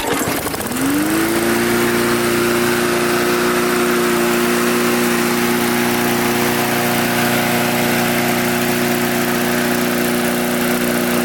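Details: Mid-2000s MTD Yard Machines push mower, oil clean but slightly low. Catches within a second and holds a steady, even note at constant speed with no hunting, surging or misfire; runs healthy.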